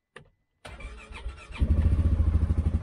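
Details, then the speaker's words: Polaris Ranger 570 UTV during pre-trip inspection, key turned on first (buzzing noise about five seconds): short crank of about a second, then catches cleanly into a steady idle thumping about three times a second; normal start. "Now I'm going to go ahead and actually start it with this Polaris you need to turn the key on you'll hear a buzzing noise for about five seconds"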